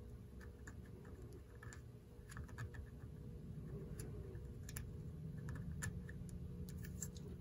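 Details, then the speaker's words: Norelco Continental 101 reel-to-reel tape recorder after cleaning, oiling and adjustment: a soft, steady hum with light fast transport ticking. It is working like a champ; normal running. "working like a champ now"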